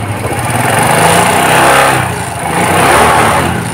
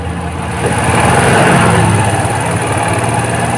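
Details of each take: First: Suzuki Shogun 125 after refitting the carburetor needle so it moves with the slide: revs climb and fall smoothly with each throttle twist, no stumbling or hunting; normal throttle response. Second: Suzuki Shogun 125 at low speed, charging voltage reading normal at about 13–14 V. Uneven beat that surges and stumbles rather than holding steady, a hesitation rather than a bog: carburetor hesitation at low speed.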